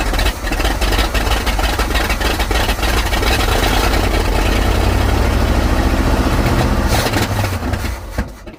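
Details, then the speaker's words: 1955 Buick Super, 455 big-block on 1973 Electra frame, after priming carb: catches, runs rough and uneven several seconds, then sags and dies, not drawing fuel; old fuel pump failing. Fuel starvation stalling. "Still not wanting to grab fuel. Stay running, baby. Stay running."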